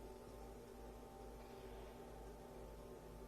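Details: Panasonic 3DO FZ-1 with failing capacitors, running cold: game music is faint and thin under hiss and low hum even at full volume; the audio returns to normal as it warms up, and a recap fixes it.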